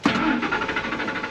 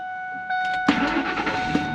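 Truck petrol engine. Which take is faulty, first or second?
first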